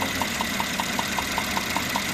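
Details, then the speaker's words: Mercedes-Benz E400, 3.0 M276 biturbo 333 hp: sharp regular ticks about five per second over steady idle; alarming knock traced to two leaking spark plugs under 2000 km old, no mechanical play found. "Вот только видно что стекло отсюда на двух свечах"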